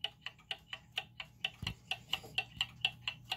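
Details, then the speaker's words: German time/strike clock after adjusting the pendulum crutch: crisp ticks about two per second, evenly spaced with no limp between tick and tock; the clock is running in beat. "okay so that's a good start right you hear how that's even"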